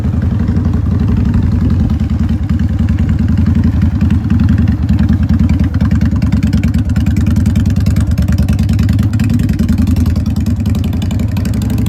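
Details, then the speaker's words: 2001 Honda Shadow VT750 V-twin, ridden before the carb rework, stuttering and hesitating. Lumpy, uneven beat with stumbling pulses under load; running rich, and the rear cylinder shot a flame from the exhaust. "It's running so rich. You had a flame out of the top exhaust."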